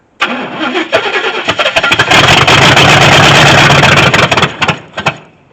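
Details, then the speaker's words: 1983 Chevy C10 left sitting over 10 years, run on exhaust manifolds only with no exhaust, fuel fed into the bowls; cranks, fires and roars for a couple of seconds then sputters and dies, owner suspects fuel burning off or too much timing. "I don't know if it's burning the gas off that fast, or if it's timing. It's not running very long is what I'm getting at."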